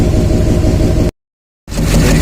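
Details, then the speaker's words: 2007 Chevy Silverado 2500HD 6.6 Duramax LMM diesel at idle, noise not changing when individual injectors are killed: steady low drone with an airy rushing edge; suspected air induction noise, not injector knock, not confirmed. "It's not typical of an injector noise in my opinion. It sounds like an air induction noise."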